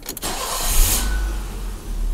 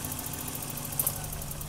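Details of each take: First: 1984 BMW 318i (M10), 65,000 miles, with a new distributor, the idle control valve unplugged and deleted, and the throttle stop adjusted. A quick crank, then a steady even idle at about 1100 rpm in park and neutral: normal start and idle. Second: 1984 BMW 318i M10, 65,000 miles, new distributor: quick, light, even ticking, about eight per second, over idle surging 600–800 rpm; ticking attributed to the ignition control module, idle control valve suspected for surge, unconfirmed.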